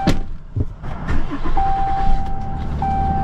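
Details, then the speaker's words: Dodge Ram engine restarted after codes were cleared, with no codes and the check engine light out: door thud and chime over a low, steady idle with no stumble or misfire; it even runs better. "look at that it even runs better it even runs better no codes"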